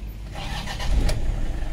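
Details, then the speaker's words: Toyota Innova that stalls and sometimes won't start when the check-engine light shows, with crankshaft and camshaft sensor codes plus a T-belt code: here it catches on one short crank and runs steadily; normal quick start. "One click siya ngayon, pero minsan pagpapaandarin mo, pag lumitaw yung check engine, yon, dun siya hindi umaandar."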